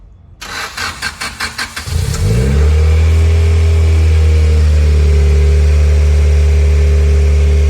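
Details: Integra lowered back down after underside work, started to check for leaks; starter churns about four beats a second for two seconds, catches cleanly, settles to steady even idle; healthy start, drivable.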